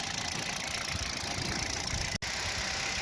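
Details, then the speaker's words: Kia Rio 3 1.6 at 75,000 km, run with the pump belt removed after a knock traced to the pump, not the pistons or catalyst; steady even idle with no tapping or knocking: normal idle. "снял я вот этот ремень оказывается стучал у меня насос сейчас заведу без него как работает пробег 75000 никакого стука не чего при меня нет"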